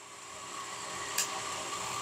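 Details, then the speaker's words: Centrifugal water pump running with the valve fully open at near-zero pressure and maximum flow, motor above its rated 8 A and overheating: steady gritty hiss and harsh rasp over the motor drone, cavitation. "when we hear this noise we must know that the operation is not correct and this noise is due to cavitation because cavitation occurs"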